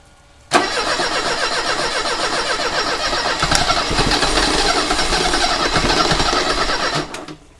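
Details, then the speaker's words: 1985 Mercedes 190E with KE-Jetronic injection and rebuilt fuel system, after fuel pressure lowered: cranks steadily about six seconds with uneven ragged beats but never catches; flooding from fuel pressure still far too high. "we lowered the pressure and this did you see it you probably can't even see it started to fill up with gasoline so something is causing the pressure to be way too high"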